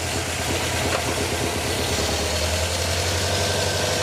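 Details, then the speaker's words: Volvo P1800 engine, first start with only a little fuel coming through: uneven, stumbling idle with irregular firing and missing beats, barely running and fuel-starved; rough running. "But we can call that a start. Yeah. And a burn. And a fire."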